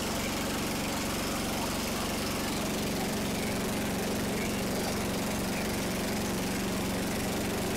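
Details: Jacobsen Chief 800 after a 12-year restoration, fired up after fitting a part meant to keep the belt from flying off: a small single-cylinder engine chugging at a steady, even beat with a low hum, settling into a smooth run.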